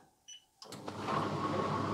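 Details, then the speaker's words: Fisher and Paykel condenser dryer that previously hummed with the drum not turning, and an idler problem is still suspected. A few clicks, then the motor spins up to a strong steady rushing hum with the drum turning. "it's like a jet engine now okay that's looking beautiful that is looking really nice"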